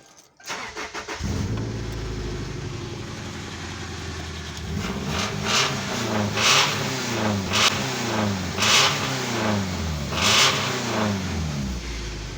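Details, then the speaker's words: 2000 Subaru Outback with a 2011 Outback engine rebuilt to 11:1 compression, ARP head studs, ported heads, high-lift cams, forged rods and pistons, VVL bypassed, new timing belt, E85 tune, no header yet: quick clean start, steady idle, smooth throttle blips, sounds healthy. "She don't do too bad. Tuned for E85."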